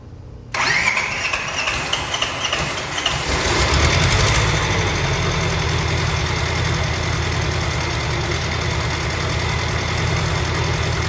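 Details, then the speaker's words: Bobcat 543 with two-cylinder Isuzu 2AA1 diesel, restarted while a little warm after fitting a fresh battery: starter churns about three seconds before catching and settling to steady idle; hard start, diagnosis pending compression test. "that seems to start good what do you guys think we have a problem here it's kind of a hard start"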